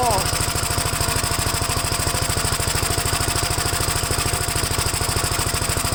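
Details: Gravely single-cylinder engine just started for the first time after gas tank install and new battery terminal: fast, steady putter with a slightly busy tone, still on choke; choke later turned fully off and it runs all right.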